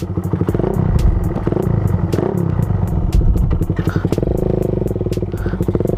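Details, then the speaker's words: Suzuki Raider 150 single-cylinder motorcycle, after fitting new spark plug: even, quick popping at steady idle with no misses; normal idle. "Ayan 'di ba? Na-ander naman siya. May itatakbo ko pa nga yan eh. May Raider. Umaandar naman ' ba? Oo."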